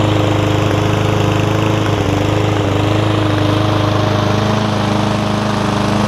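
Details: Yard Man front-wheel-drive self-propelled push mower with Powermore engine, long-sat, carb cleaned except the top jet, fresh gas, oil full but dark: steady, even single-cylinder chug at constant speed, no surging or misfires; runs smoothly.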